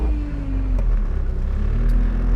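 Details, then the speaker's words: 1988 Volkswagen Scirocco driving: a steady droning whine sliding down in pitch over the engine rumble, from a poorly remanufactured power steering pump. "oh yeah that remanufactured power steering pump is everything i hope for and more so terrible"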